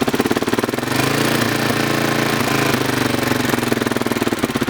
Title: Honda xr600r ticking noise